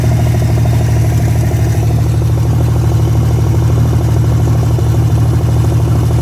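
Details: Freshly revived petrol engine's first start-up, idling through open extractors: lumpy idle with an irregular pop now and then; occasional misfire blamed on a bad distributor cap, due for replacement along with the rotor button.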